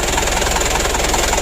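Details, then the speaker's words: Mitsubishi Canter 136 PS HDL diesel truck after hard-starting and fuel-in-oil repair: now starts easily; loud raspy idle with even puffs about five a second and a harsh edge from a rusted-through, leaking muffler. "Alhamdulillah untuk hidupnya sudah lumayan bagus ya tidak sulit kalau ini untuk meredamnya ini sudah keropos teman-teman"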